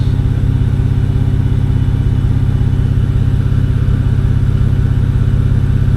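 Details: BMW N52 inline-six after misfire diagnosis (earlier cylinder 2 misfire code, coil swap), live data showing all six cylinders smooth and no faults; deep, even idle with no stumbles; normal idle.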